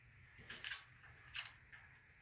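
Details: Gilson rear-tine tiller recoil starter: gritty clicking and crunching on each pull with no firing, as dirt makes the recoil ratchet stick and grab, causing a terrible squealing noise; cleaned afterward.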